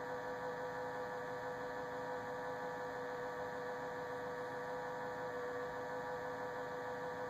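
A steady, unchanging electrical hum with a faint buzz on top and no knocks; the fridge is humming but the cause is unclear.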